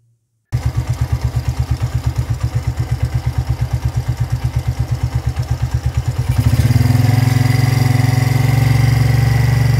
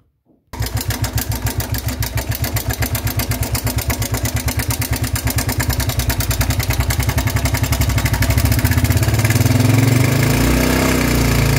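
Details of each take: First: Motorcycle engine after tensor replacement for a loud startup noise resembling valve-lifter or timing-chain clatter: idling with an even, steady low thump and no ticking or rattle, before music takes over. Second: Motorcycle engine on start-up with a loud, rapid metallic clatter over idle. It began faintly about a week earlier and suddenly grew loud; tappets were first suspected, but the cause was timing chain rattle from a failed chain tensioner, which was replaced.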